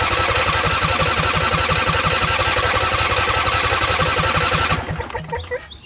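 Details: Husqvarna YTH20F42T lawn tractor repowered with a Briggs 21HP V-twin from a John Deere, long unstarted, choked: the starter churns at about three even beats per second for nearly five seconds with no firing. Fuel reaches the carburetor; a dirty carburetor or stuck fuel solenoid is suspected.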